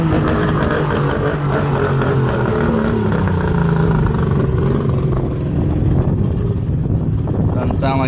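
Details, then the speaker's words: Mercury two-stroke outboard on water muffs after new fuel-water separator and new plugs, on high idle choke: steady fairly even buzz, running on all cylinders but idle speed may need adjusting. "it's running on all the cylinders but H hm h H might need to adjust the uh idle"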